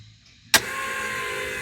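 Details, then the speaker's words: Truck after injector install, ignition on with Terminator ECU: a click, then a steady high electric hum of even pitch; the fuel pump primes normally. "All right, fuel pump sounds good."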